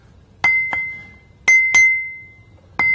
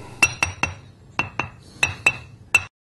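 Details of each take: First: You can clearly hear the ring when we tap this wheel, so it doesn't look like it has a crack. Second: Ring test on a grinding wheel: eight quick taps give short, dull clinks with no ring, showing the wheel is cracked; an uncracked wheel rings clearly.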